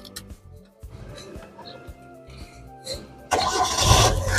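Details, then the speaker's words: 2003 Hyundai Accent Verna 1.5 GLS manual, 151,000 km, started in neutral: short crank, then the engine catches promptly into a steady, even idle; a clean, healthy start with no hesitant cranking suggesting a weak battery or starter. "pada saat kita Nyalakan mobil pastikan bahwa nyalanya itu jereng karena apa kalau dia nyalanya tersendat Berarti ada kemungkinan permasalahannya di akinya sudah soak atau dinamo starternya bermasalah"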